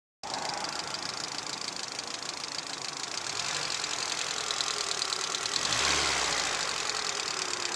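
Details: VAZ 2110 16-valve engine at idle: quick, somewhat uneven knock keeping time with revs, swelling slightly as it speeds up; engine knock.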